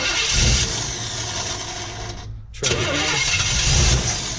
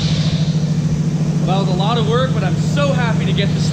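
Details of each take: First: 1955 Chevy truck on a test fire, distributor roughly mocked up, primed with fuel: repeated starter cranking with brief stumbles that never catch, so it cranks but won't start. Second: 1955 Chevy truck engine, first start after distributor reinstalled and meshed with oil pump drive, fed from a rigged gas can, not yet timed; steady even low beat about three pulses a second, no missing; running healthy.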